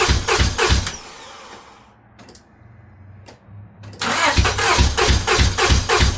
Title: Honda accord cylinder misfire update, cylinder head removal